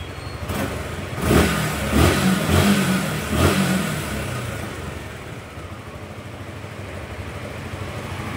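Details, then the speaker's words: Suzuki Gixxer that wouldn't start, repaired by cleaning rusty, water-contaminated tank and fitting new fuel filter: a few quick, clean throttle blips, then steady, even idle with no knocks or stumbles; healthy. "Okay goods goods umaandar na okay patay muna natin"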